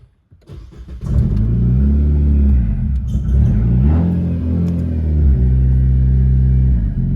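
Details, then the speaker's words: Nissan CVT car with a stage-two turbo, mid-conversion from MAF to speed density, first start: it catches after a short crank, then idles unevenly with revs hunting, the rough running expected from untuned fuelling. "oh yeah that's not running great that's that's what I was expecting it to do"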